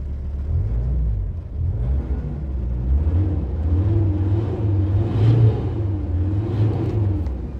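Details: VW Crafter diesel revving after the cracked EGR corrugated pipe was brass-welded: deep rumble rising and falling smoothly through a few blips with no hiss or exhaust leak; healthy, even revving.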